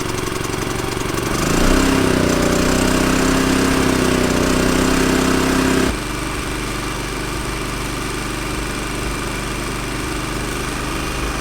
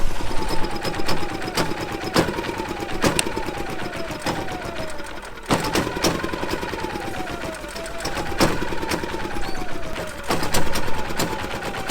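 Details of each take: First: Champion inverter RV generator that wouldn't start, carburetor cleaned and reassembled without the main jet: small engine revs up under load, holds steady, then drops to a smooth even lower speed; runs well though power output still not on. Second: Champion inverter RV generator started on jumper cables with choke after failing to start. It runs rough with a lumpy, uneven beat near once a second over busy clatter and a wavering tone, blowing lots of gas; suspected over-choked.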